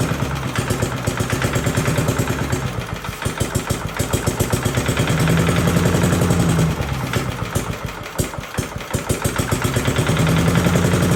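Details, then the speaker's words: 1982 Billy Goat vacuum small single-cylinder engine after an ignition swap: it fires steadily at roughly four beats a second, rising and easing with throttle. Runs solid and even, a very solid running engine. "we have a very very solid running engine here"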